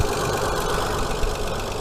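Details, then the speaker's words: Hyundai Sonata 2.7 V6 just started after cambelt and water pump change, timing cover still off: steady, even idle with no misses or rhythmic knocking; running okay. "But yeah, I'm all chuffed. She's started up, she's running all okay."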